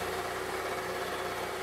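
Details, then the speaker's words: Wood-Mizer LT40 portable sawmill cutting a 32-inch Douglas fir under load: fast rough fluttering blade chatter, caused by sap and bark picked up on the band wheels, which need cleaning. "chatter you can hear is because i was picking up some sap and bark and the fan wheels i'm gonna have to clean them off"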